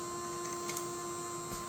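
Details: Creality CFS feeder on a K2 Plus after a factory reset: steady low motor hum with a faint constant tone and soft clicks; feeder sounds normal.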